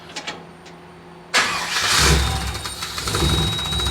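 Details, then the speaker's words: Cab-over truck with a 454 engine, after a new ignition module and a rebuilt throttle body: cranks a few seconds, then starts on its own and settles into a steady idle at the proper rpm. Throttle response is still slightly off. Normal start. "It's at least starting on its own now. It wasn't doing that before. And it's idling and everything at the appropriate RPM now."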